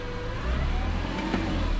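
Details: 2001 BMW E46 M3, 77,000 miles, VANOS, valve adjustment and rod bearings done: thin steady whine over the idle rumble with clutch out, gone with clutch in; worn manual gearbox, not the throwout bearing.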